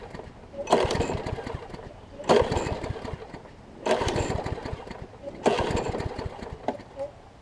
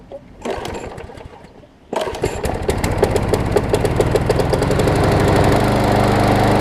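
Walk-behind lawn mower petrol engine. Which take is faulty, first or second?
first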